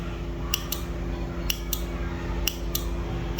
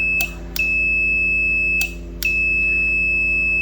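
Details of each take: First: 12 V 15 A T-type relay (stabilizer use) tested with its coil touched to a 12 V battery, polarity not mattering. Sharp, loud clicks roughly once a second with a faint hum, meaning the relay pulls in firmly; a bad relay only clicks faintly: healthy relay click. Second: 12V 15A T-type relay (for stabilizer) bench test: clicks, then a steady high continuity beep over a second long, twice, as 12V battery supply energises the coil and the multimeter on the contacts confirms they close.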